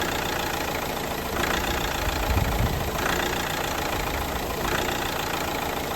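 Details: 2011 Vauxhall Astra J Mk6 1.7 CDTI diesel at idle: clatter swells and fades about every 1.5 seconds, a hunting idle from fuel pressure surges; suction control valve most likely cause, to be replaced.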